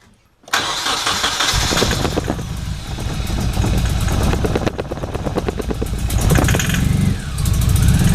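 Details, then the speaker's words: 1993 Nissan 240SX S13 after MSD coil install, fuel pump clogged by 8-year-old gas, running on starting fluid: cranks and catches unevenly, lumpy shaking misfire that won't hold; no fuel delivered. "well as you could see it it tried to start but with the fuel pump being out and it's completely clogged up it won't even pump any fuel into the engine"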